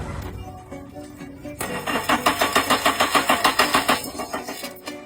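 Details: Used car that won't start: starter cranks steadily and quickly for about two seconds without catching; fuel and spark confirmed present, suspected air-supply fault, clogged idle air control valve.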